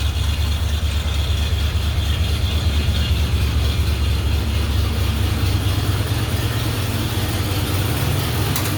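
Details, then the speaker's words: One-owner 1977 Ford F250, 351M V8, C6, about 29,700 original miles, freshly serviced out of storage, cold at about 40°F in North Idaho: even, slightly raised fast idle, steady low burble, no misses or knocks, healthy. "maybe 40 degrees here in North Idaho. Like I said, she is cold."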